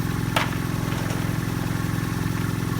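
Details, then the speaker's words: Vintage belt-driven rotary vane vacuum pump for a neon bench, first start on old oil, belt slightly loose: fast, regular wet chugging and gurgle over low motor drone; owner unsure if normal, plans warm-up then oil drain and flush. "i've never seen one of these in operation, so i couldn't really tell you if this is normal or not but we'll run it– let it run– warm it up, and then we'll drain out that old oil and flush it."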